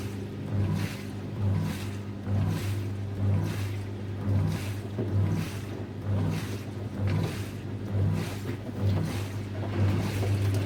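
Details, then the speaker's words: SFA lift pump (pompe de relevage) running flat out while two washing machines drain at once: a steady low motor hum with a swelling surge about once a second as the water is pushed through in bursts. Normal lift pump operation under load. "Sachant que dans ce cas-là, vous avez eu les deux lave-linges qui ont vidangé en même temps. Donc le bruit au début, il était assez important. La pompe, elle a fonctionné vraiment à fond."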